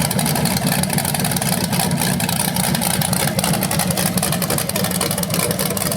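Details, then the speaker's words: BluePrint 396 crate V8 for a 1970 Camaro SS, first run with headers and flywheel: lumpy but even idle with steady exhaust beat, no knocks or ticks, no leaks; flywheel sounds a little different when revved. "First run of the engine. It sounded good. I don't see anything leaking."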